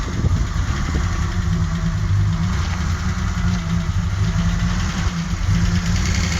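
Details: '84 Alpina B6 with 2.8-litre M30 inline-six idling with an irregular stumble and uneven pulses breaking the rhythm; misfire at idle, cause still being troubleshot.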